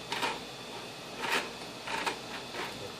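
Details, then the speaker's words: Hayward Navigator pool cleaner not moving: when spun by hand, gritty scraping swells in bursts about every half second as sand chews in the plastic bearing; sand all over the underside, to be cleaned and reassembled. "When I first spun it there, I could hear it chewing up some sand. There's sand all over this."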